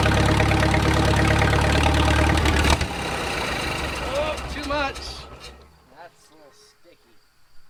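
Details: Wartime H engine, unrun for 20+ years, first start after reassembly with new oil filter base; good oil pressure on cranking. Catches and runs with a steady beat for a few seconds, then dies away, fires again; normal running after long storage.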